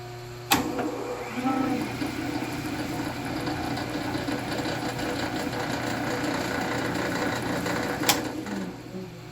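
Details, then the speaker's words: Vintage Sheldon lathe with a 3-phase motor running with the gear train disengaged; low, even motor hum and soft steady whir with no knocking or gear noise, very quiet. "the purpose of this shot is simply to show you how very quiet the lave is without the gear train engaged and then the difference once the gear train is engaged so let me show you that now"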